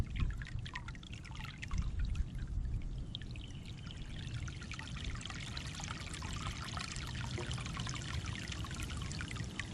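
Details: Basement sump pump discharge line after cleaning iron ochre (iron bacteria) clog from the pipe with a Clog Hog pressure washer hose: heavy, steady gush at full volume with no sputtering, where before the repair it only trickled and the pump ran nonstop.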